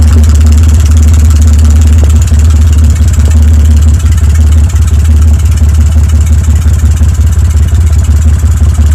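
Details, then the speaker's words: BMW N52 (N52N) with a broken exhaust camshaft misfiring on cylinders 4, 5 and 6, exhaust off, catalytic converter destroyed, valves seemingly OK: a very loud, deep, uneven, stumbling idle with open exhaust bark, sounding like lower-end trouble. "Very loud ehaust is off was checking for restriction back firing to intake sound like lower end"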